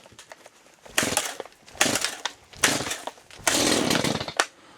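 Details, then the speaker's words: Chainsaw cold start, first of the day, on full choke: several pulls, each a brief raspy burst as it catches and dies, the normal cue to move choke to the next position. "And then you give it a couple of pulls until it wants to start. And then once that happens, you pop it back to the next sequence in the choke and give it a couple of pulls, and it'll fire up."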